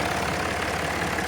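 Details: Land Rover Discovery 4, 3.0L SDV6 diesel, which had a loud rattle and got a new auxiliary belt and tensioner: smooth, even idle with steady clatter and no rattle from the front belt drive; normal, healthy idle.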